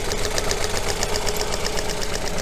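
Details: Coil-on-plug engine idling with the number one coil lifted off, simulating a secondary winding or spark plug failure: uneven, lumpy idle with a regular stumble and hollow puff every cycle; one cylinder dead from no spark.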